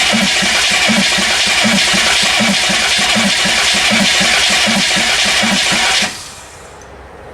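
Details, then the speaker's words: Chevy P30 food truck with non-turbo GM 6.2 diesel, bought non-running, after long glow plug cycle: starter turns the engine over in steady pulses and it never fires; suspected bent valves, air back through intake, starting fluid damage. "it's not starting at least rolling over though"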